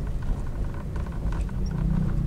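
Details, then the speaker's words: Daihatsu Sigra / Toyota Calya type M: light irregular "tek tek" ticking from centre dashboard panel where non-touchscreen model sits, stops when panel pressed; loose dash part suspected, fixed by removing dashboard. "suaranya kritik kritik kritik atau tek tek tek seperti itu jadi suaranya berasal dari sini nih"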